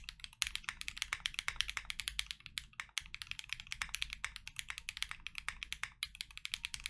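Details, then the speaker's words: Lubed KNC Keys Tofu Linear (R2) all-nylon long-pole switches in a Freebird60 with gummy O-ring mount, POM plate, silicone dampener and polyfil: full typing test, quick, crisp, muted, fairly deep keystrokes with no scratch or ping. Healthy lubed linear switches. "I'll leave you guys with a full typing test."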